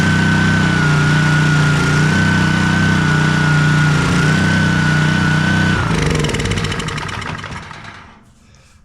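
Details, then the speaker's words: Honda pressure washer that sat all year in a basement, run a few seconds without water to warm the oil before an oil change: a steady, fast drone with a constant whine, then shutoff and spin-down; normal running. "I'm going to crank this thing let it run for just a few seconds you don't want to run this pressure washer without water being on so just a few seconds just enough to get the oil a little bit warm"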